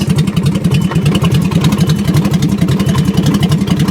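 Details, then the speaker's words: Salvage car at auction, jump-started: loud, raw, blatting exhaust with sharp pulses. The catalytic converters were stolen; it later died with low oil pressure. "we got juice here we go they stole the cats they stole the cats"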